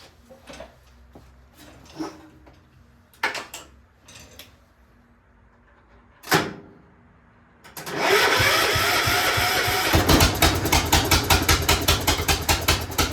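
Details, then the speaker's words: Free Cub Cadet 1250 garden tractor restarted after repairs: some clicks and clunks, then the small single-cylinder engine settles into an even chug under light load as it moves forward. Running fine. "moves y all right so it does move at least forward so uh that's good that's really good"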